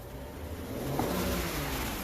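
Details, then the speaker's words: 2011 BMW 535i with reduced power from a 5V reference fault, pedal position sensor unplugged and codes erased: engine note climbs smoothly and holds higher revs without stumbling; it now revs freely. "I still don't think it's going to rev up because we have an issue. Actually, it does rev up now."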